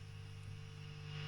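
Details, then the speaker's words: Stromberg Carlson AU57 tube PA being converted for guitar, with no master volume, so the power amp cannot be fully shut down; bass turned down, channel volumes varied. Steady low hum under constant soft white-noise hiss. Normal amplifier background noise. "that's the volume on the other, you see we've got plenty of white noise, but pretty quiet. So if I turn all the volumes down, it's not too bad. There's a bit of background noise because we don't have a master volume, as I've said."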